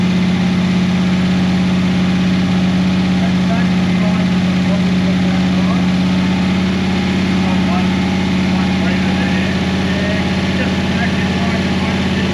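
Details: 1988 Holden VL SV88 V8 after the Rochester Quadrajet needle and seat and choke arm repair, muffler off: it settles into a steady, even idle with a smooth low rumble and no misfire or stumble. The fuel issue is sorted.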